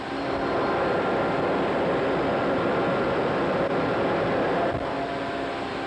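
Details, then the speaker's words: 300 hp Siemens Allis motor and gear reducer driving a coke pulverizer mill, fed by a gravimetric belt feeder: even, steady roar with faint constant tone, no knocks or grinding; normal large electric motor running. "at this time we'll take a listen at the Mill so we can hear it in operation [Applause] [Music] [Applause] sound of the gar reducer and the sound of the 300 horow Seaman Alice motor"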